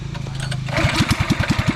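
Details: Small pressure washer engine that had failed to start after heavy rain, after repair: catches after a brief crank and settles into quick, even firing pulses with no misses; runs clean.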